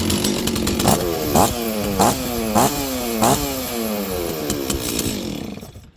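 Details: Stihl 036 chainsaw that probably sat about 20 years, primed: picks up and keeps running, revving in quick repeated blips that rise and fall cleanly; normal running.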